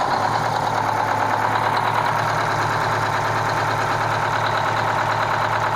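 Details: Kenworth cabover diesel truck "Marla" with a fuel problem, steady idle with an uneven, slightly stumbling beat on one cylinder; misfire from a faulty injector on the third cylinder back on this side, to be replaced.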